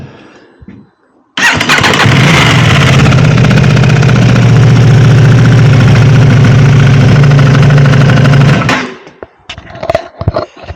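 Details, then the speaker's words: Aprilia RS660 on cold start: loud fast idle with a metallic clattering rattle, worse as the bike warms and the oil thins; owner attributes it to the chain rattling and plans to fit a chain tensioner. "we run it up and you can hear this um rattling sound okay let's fire it up"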